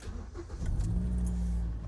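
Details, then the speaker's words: Car after ignition coil replacement and clearing the misfire code: brief crank, then quick catch into a smooth, even idle without stumbles or misses; already running better. "She's already running better. It's already running better."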